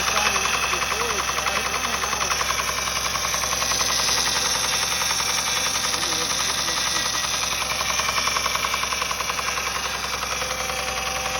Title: What is the knocking noise? The timing belt tensioner is tight and has not failed. 07 Accord 257K mi